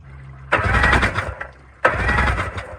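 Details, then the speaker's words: Mini jet boat engine that would not start after the hull filled with water (bilge pumps left off): spark plugs out, two short cranking bursts spraying and hissing water from the cylinders, no firing. Hydrolocked engine, water in cylinders. "Wow, there was a lot of water in the engine. Water gets into the engine, fills up the space in the cylinder, and water doesn't compress, so the pistons can't move the water."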